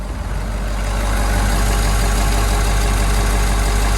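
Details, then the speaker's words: Ford F-250 diesel, 450 hp stock, after a cold start with the block heater and partly warmed up: deep, even diesel clatter settling into a steady rhythmic idle with no misses or knocks; healthy idle. "She started. Sounds good. Sounds like power."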